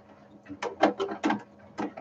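Irregular rattly chattering bursts over a faint steady hum, from a failing 3D printer cooling fan.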